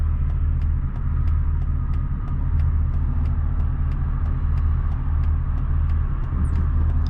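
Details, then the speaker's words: 1999 Mercedes E55 AMG V8 at 257,000 miles, after fitting a junkyard ignition coil pack: deep, even rumble pulling cleanly under throttle with no stumbles; smooth running, no misfire. "Hey, no misfire, man. No misfire. No misfire."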